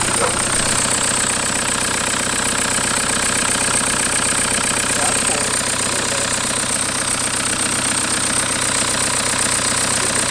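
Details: 1991 Toyota pickup with swapped 1.9 L ALH TDI turbo diesel from a 2000 VW Jetta, warm with oil cooler thermostat opening. Steady, even diesel idle clatter with no misses or stumbles; engine settles and runs as it should.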